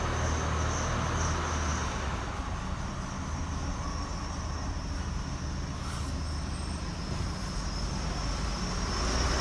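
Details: 2016 Chevy Colorado, 7k miles: a thin, steady squeak at about 5 mph, braking or not, gone at a stop or above 10 mph; traced to where the driveline enters the transfer case.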